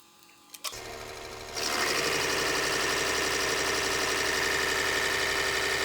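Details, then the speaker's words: Rebuilt P7100 injection pump for 24-valve Cummins 600hp build on test stand after balancing cylinders 2 and 4 delivery: drive spins up, then fast even ticking with no stumbles or knocks; healthy pump operating normally. "We got pretty lucky with this pump. Apparently it's a pretty healthy pump."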